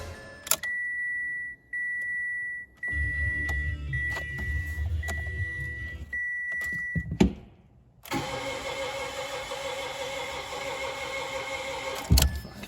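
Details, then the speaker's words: 2017 Mitsubishi Mirage, fairly high miles: dash chimes, then several seconds of steady cranking that never fires; owner suspects it is flooded, flooring the throttle didn't help. "This one's flooded."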